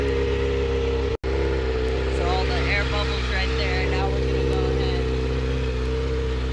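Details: Kawasaki ZX6R being rebuilt, started right after draining water and filling coolant to purge air bubbles: steady, even, smooth idle with no knocks, misfires or rattles; running normally.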